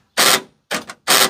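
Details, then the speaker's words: Chevy Astro van, new passenger door lock actuator after reinstalling the rod: three harsh, rapid rattling bursts about half a second apart, relay-like chatter; the actuator works but the cause of the noise is not pinned down yet. "that is insane okay that needs to get fixed but at least now we know that the door actuator works"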